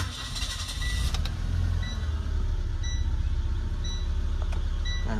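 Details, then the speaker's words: Nissan Exalta with low power that stalls when the accelerator is pressed: idle hunts up and down, sags and dies; stalling with fluctuating idle from a torn fuel hose. "Fluctuating siya. Mas mamatay. Patay."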